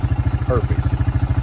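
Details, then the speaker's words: Honda FourTrax 300 ATV bought for $200 at auction, first run after sitting: steady, even single-cylinder putter about twelve beats a second, no knocks or misses, "sounds like a sewing machine"; brakes not working. Normal idle. "sounds like a sewing machine sitting there running so well hopefully you guys enjoyed today's video we got our $200 Honda running and I couldn't be happier"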